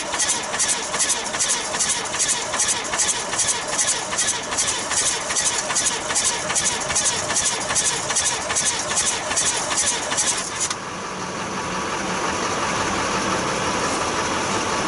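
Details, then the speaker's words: 1966 Austin London taxi diesel, first start in years, rough idle with rhythmic chuffing puffs about 2.5 per second, then smoothing out; air blowing back through intake, owner suspects something under an intake valve, not confirmed. "i think we got a maybe a intake valve or something right i can hear it"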